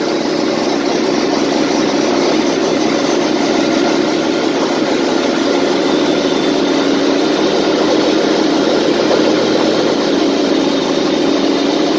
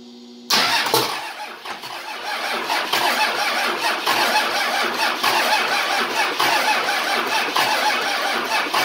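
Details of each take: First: 24V Cummins standalone-wired for a Dodge delete swap, running for the first time after needing ether to start: steady diesel idle with even mid-pitched clatter, no knocks, misses or surges; normal idle. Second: 24V Cummins standalone-wired for a Dodge delete swap, cranking on first start attempt with lift pump hot-wired: starter spins with uneven rhythmic chug for several seconds but diesel never fires; crank no start.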